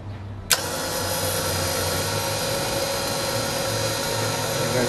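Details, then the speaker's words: Warn VRX 35 winch after disassembly, fault turned out to be wrong wiring: motor kicks in abruptly and holds a steady, even whirring hum with no grinding or stutter; normal running. "i don't know what to tell you let me just play with it a bit okay well it works"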